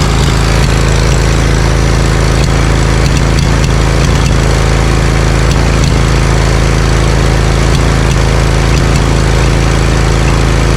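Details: Briggs & Stratton Vanguard 20 HP V-twin zero-turn mower, warm, losing power and popping: lopsided thump with irregular pops about three a second, as one cylinder isn't firing. Compression is about 91 psi, and a new plug gapped 0.030–0.035 in didn't help; a weak ignition coil was found.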